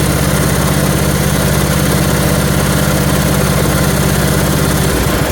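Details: 1974 Dynastar lawn tractor, a barn find that sat about 30 years, fitted with a short replacement muffler. On its first start the single-cylinder engine settles into a steady, even putter with no knocks or misfires: normal running.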